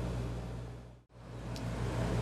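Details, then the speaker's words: Dometic RV air conditioner after relay board swap to fix a compressor stuck on: even low hum from compressor and fan, no rattles or cycling, cooling well after 10 minutes; normal running. "i hear the compressor going but i'll check back with you in a couple sec a couple of minutes"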